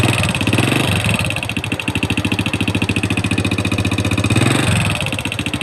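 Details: Honda Wave 100 single-cylinder motorcycle after the loud noise was found and fixed: steady, even putt-putt idle with no knocking or grinding.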